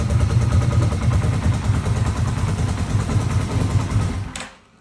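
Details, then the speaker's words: Yamaha Vmax, first start after rebuild, oil not yet in filter: deep burbling idle with an uneven beat and occasional stumble; slight misfire at idle, owner suspects a coil or spark plug on one side. "so I can just hear a little miss check this coil out or a spark plug over there I can just hear it a little bit"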